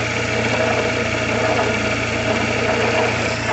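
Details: Fiat Palio Fire 1.0 idling; alternator rebuilt less than a year ago. Steady rough rumble with a dry scraping hiss from the alternator; owner suspects the rear bearing and plans to lubricate it. Cause not confirmed.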